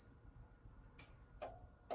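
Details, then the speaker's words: Aurora ABB Power-One grid-tie inverter powering up on AC only with DC left off, earthed via a different socket on another circuit: three sharp light clicks about half a second apart, the grid relays pulling in normally, output then rising toward 500 W. "It takes a few seconds. So I should hear the relays coming on now."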